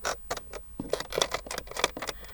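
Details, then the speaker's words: AWD VAG car with DQ381 gearbox: light, irregular ticking and creaking clicks from the trim piece by the odometer, which creaks over potholes and off-road; no engine noise underneath. "І деколи на ямах оце накладочка Може порипувати на бездоріжжі особливо"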